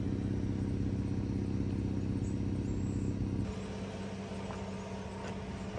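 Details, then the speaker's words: Dodge Caravan after repair of cylinder 3 misfire and white smoke (new oxygen sensor and spark plugs, MAP sensor cleaned): low, even idle with no stumbles or popping, smoke gone, check engine light cleared, RPM steady. "Ang ganda na ng andar. Hindi na pumapalag yung makina. At maganda na rin yung palo ng RPM."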